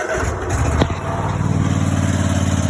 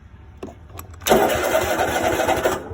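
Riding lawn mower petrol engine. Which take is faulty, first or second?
second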